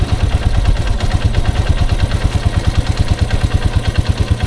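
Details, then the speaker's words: Grizzly 125 ATV, unused over six months, running on car oil: even single-cylinder putter about three beats per second, steady with no knocking; normal idle. "this thing sounds good just because i haven't ridden it in a while but it sounds sounds way better than what i remember"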